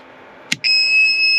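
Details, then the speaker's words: Van house battery, a 2.5-year-old group 27 AGM deep-cycle, feeding a 500 W inverter with a heater switched to 250 W high: a click, then a piercing constant shriek as the inverter alarms; the battery proved dead and was replaced. "but as soon as you go to High my inverter starts to scream at me so I don't think it has enough juice to power the 250 watt um heater"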